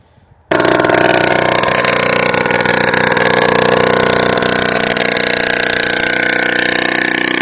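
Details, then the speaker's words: Old Honda Lead scooter, first start in 10 years with new spark plug: harsh loud two-stroke buzz, uneven pulse, raspy exhaust, then stalls on its own; oil spitting from exhaust, owner suspects carburetor set to maximum. "Aj, vyplo sa. No, vyplo sa samo od seba. Toto je strašné."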